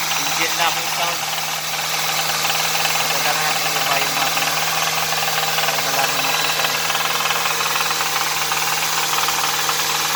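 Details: Hyundai Sonata 2.4 petrol engine at idle with a steady knock of about four beats a second over its hum.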